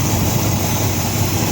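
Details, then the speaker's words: 1953 Ford Customline with swapped 350 V8, new starter, 87-and-up intake manifold; low loping uneven idle; spraying shows intake manifold gasket leaking vacuum on both sides, owner unsure if gasket lined up wrong. "But it's definitely leaking when you spray I don't know if I lined up the gasket wrong, but it's also leaking on this side."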